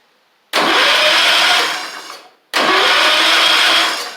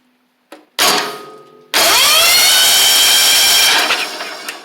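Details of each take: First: 1985 Wheel Horse 312-8 garden tractor revived after years sitting, reassembled but no spark, owner suspects points: two cranking bursts of about a second and a half, starter spins but engine never catches, crank no-start with no spark. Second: 1985 Wheel Horse 312-8 garden tractor, long-sitting, after clearing a mouse nest and debris from the starter area: starter spins the engine smoothly at even cranking speed with no binding or grinding, engine now turns over freely.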